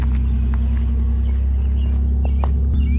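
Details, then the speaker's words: Early-2000s Pontiac Montana V6 van idling with a steady deep exhaust rumble from a small exhaust leak, exhaust hanging down a little; ABS and check engine lights on; not as bad as expected. "we have a little bit of an exhaust leak I guess it's hanging down a little bit we're gonna take her to the shop not as bad as I thought actually"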